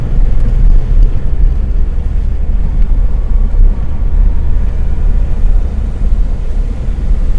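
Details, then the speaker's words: Peugeot 305 with cooling-system problems, under way: constant low drone with a rough, uneven exhaust pulse; misfiring on about 3.5 cylinders, and owner suspects soaked electrics. "Might be running on sort of 3.5. Yes, we are definitely running on 3.5 cylinders."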